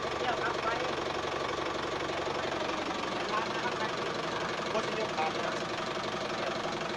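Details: Office-owned diesel tractor that would not start because the battery was not charging, after charging-system repair: quiet, steady idle with even clatter, no stumbles or odd noises; running normally.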